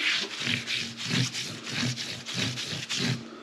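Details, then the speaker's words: Mini Cooper S with road-noise complaint, wheel bearings checked OK, car lifted and wheel spun: rhythmic whooshing rub about 1.5 times per second from bumpy, cupped tread; cupped tire noise. "look at this over here see it's all full of bump can you hear the noise yeah yeah same thing"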